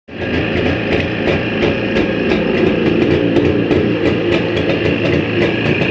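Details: Jawa 350 type 638 two-stroke idling with a sharp, uneven tick about three times a second over the engine: an extraneous noise inside the engine, cause not clear.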